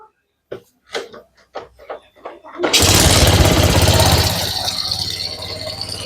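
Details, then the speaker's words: Suzuki Smash motorcycle that sputtered and hesitated under throttle, after fitting a new CDI: a few cranking bursts, catches at once, settles to smooth, even idle. Starts as easily as before; weak CDI found as the cause. Normal start. "Untuk hidupnya sama-sama bagus. Sama-sama gampang."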